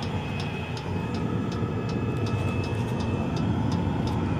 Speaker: The clicking sound is the fuel pump and that turbine sound is the heater